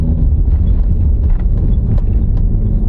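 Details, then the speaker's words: 12-year-old Subaru with 161,000 miles on a road test: steady low roar under the car beneath road rumble, louder with speed, identified as a worn rear wheel bearing needing replacement. "the roaring noise that's a wheel bearing now you can really hear it"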